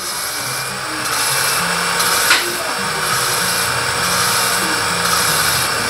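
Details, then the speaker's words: Honda Supra Fit motorcycle head (owner complained of noise and weak power), valve lapped with compound for about a minute: even quick back-and-forth scrubbing, about three strokes a second, no gritty catches; seat lapped smooth, finished. "Oke teman-teman ini suaranya sudah halus Ya sudah halus sekali jadi perkiraan saya ini sudah cukup jadi kita bersihkan ya"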